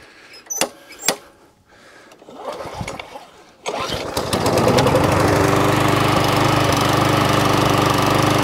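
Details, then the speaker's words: Murray MP 450 lawn mower with flathead Briggs engine, weak primer, run on homemade ethanol-free fuel; after some clatter it fires and settles into a steady, even single-cylinder putter, running cleanly, needing only a service. "actually runs so that one a bit of a service"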